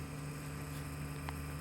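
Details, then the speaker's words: Self-balancing board left with no rider or weight on it gives a steady low electrical buzz; it can act up when unloaded, cause not clear: buzzing with no load. "It's not doing it at the moment, but as you can hear, it's buzzing."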